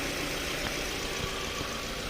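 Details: 2006 Toyota Camry 2.0 automatic running after the no-start was fixed following fuse work with no fault codes found; engine settles into a steady, even idle with no knocks, misses or surging: normal idle.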